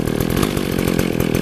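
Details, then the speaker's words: Warmed-up McCulloch 610 24-inch chainsaw, about 1980, with a rebuilt carburetor and new fuel line, carb gummed up from stale gas: fast, even idle popping at about ten beats a second, no stumbling or surging. "That's just on idle, so now that it's been running, it's cool."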